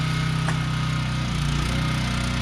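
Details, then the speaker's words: Small generator powering a shop with lights switched on: steady engine drone that sags and strains as the lights load it, running at the limit of its capacity and labouring. "we got lights but better yet listen to that poor generator when I put the lights on"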